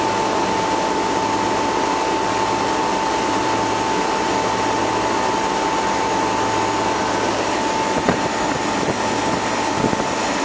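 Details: Bristol condensing unit after compressor replacement with a two-speed 2/4 pole version, condenser leak repair, new larger suction line and blocked liquid line drier found: steady fan rush, even hum and constant tone, no knocking or cycling; running normally.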